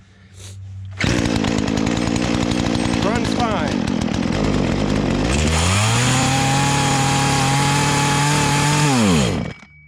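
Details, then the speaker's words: Poulan Pro chainsaw that never ran right: dips, then climbs to a strained, wavering high buzz and drops off at full throttle, fine at idle and mid-range; bogs and wants to stall at high, owner suspects lean. "while it's idling and mid-range it's fine as soon as i pull the trigger all the way and go to the high is when it wants to stall"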